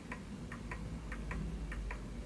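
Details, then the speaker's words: Smiths Enfield oak pendulum mantel clock deliberately set on an uneven surface: ticks in lopsided pairs, long gap then short, slightly off centre, then it halts; pendulum out of beat. "it's a little bit off center, and it has come to a halt."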